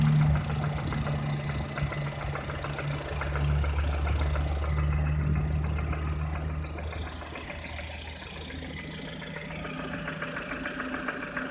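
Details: Lada Kalina Cross engine, warm, at idle: steady, fairly quick tapping of about three knocks a second over the engine hum, an internal engine knock.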